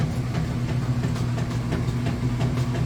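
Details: Whirlpool top-load washer with center agitator, filled with water: steady rhythmic chugging about three strokes a second over a deep motor drone; agitator swinging back and forth properly.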